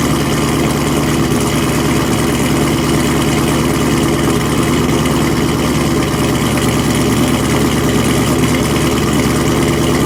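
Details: V8 with Kooks long tubes, catless, muffler delete and BTR stage 1 cam at cold start: rough idle with loud uneven popping through open exhaust; cause unknown.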